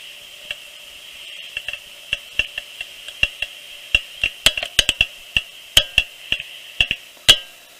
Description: My SUBARU XV 2013 makes “clicking noise” on both sides of front wheels when turning. It does not sound much when rolling straight.